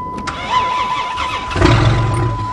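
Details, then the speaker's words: Chrysler minivan engine freshly unseized after hours of work, run on a sideways van with the oil pan welded, fuel level unknown: slow uneven cranking about 1.5 s, then it catches and settles into a steady even idle; normal start. "oh sweet eh that's a job and a half get the air what the hell he's a runner"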